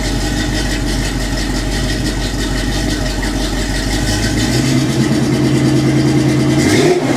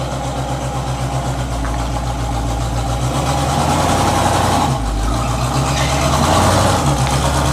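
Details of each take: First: 1984 Chevy K20 V8 at idle after swapping cheap fiberglass-packed turbo mufflers for Flowmaster 5246 mufflers, torqued to 45–60 ft-lb: deep, steady even burble with a brief rev; sounds much better and deeper than before. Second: 1984 Chevy K20 V8: deep rumbling idle with a loose, raspy exhaust burble that swells with a few light revs; the cheap fiberglass-packed turbo mufflers, fitted a couple of years ago, sound worn and are due to be replaced with Flowmasters.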